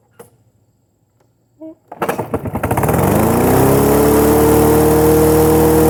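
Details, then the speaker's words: Snapper self-propelled push lawnmower with a half-blown engine starting: rough, uneven firing, then a steady drone with an underlying knock; owner considers the motor nearly done; engine knock. "toasted and it's about blown it's you can hear it Knocking but it still starts pretty bad that means that motor's pretty much done for"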